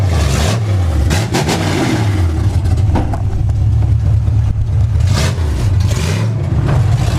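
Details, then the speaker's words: Ford F100 truck with swapped Tremec 5-speed, first drive after final assembly: deep, very loud unmuffled rumble rising and falling with throttle; open exhaust at the collectors. "I can't even describe how unbelievably loud. I can see the collector through the floor. Like, it's dumbfounding loud."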